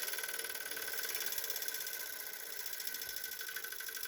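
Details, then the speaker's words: Bauer 6-inch bench grinder with wire brush, coasting down after switch-off: even high-pitched whirr with fine steady flutter easing off, slight vibration at start-up and slowdown considered normal; normal spin-down. "now i'll have to a little vibration as it starts up and slows down but that seems you know that would be normal"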